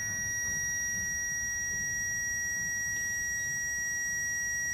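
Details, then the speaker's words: Classic Mini electric fuel pump, bench-run on the floor out of the car with direct power after being freed from a suspected seizure from long storage. Steady high-pitched whine with a constant tone and no rattle or stutter: healthy. "yeah it sounds okay and just make sure it actually pumps and he's not just making noise"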